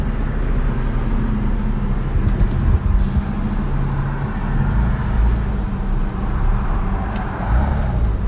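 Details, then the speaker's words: 2000 Nissan Maxima with only an Injen cold air intake added, driving after warm-up; deep throaty rumble rising and falling under throttle over road noise, no rattles or misfires; clean normal running under acceleration. "Thing sounds pretty beefy. It's clean. And that's just an intake."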